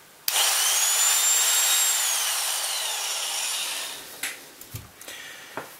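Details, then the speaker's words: Biax scraper (Swiss-made) switched on after disassembly, cleaning and bearing service and reassembly: sudden start into steady high-pitched whir with fast reciprocating buzz, then switch-off; motor and stroke run smoothly. "So before I do anything else, I'm just going to turn it on to make sure it's working properly. Switch it on. Moment of truth to see whether everything's working. Yep."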